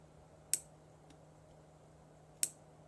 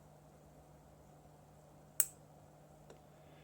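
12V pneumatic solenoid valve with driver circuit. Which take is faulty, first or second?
first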